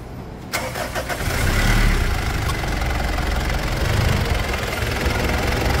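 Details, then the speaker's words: Mitsubishi Pajero Full 3.2 diesel 4M41 after replacing external alternator and A/C belts that squealed: cranks, catches and settles into even idle with no squeal over the clatter; belts now quiet. "a gente vai aproveitar para escutar essa melodia que faz tempo que a gente não escuta e vamos ver se parou a chiadeira"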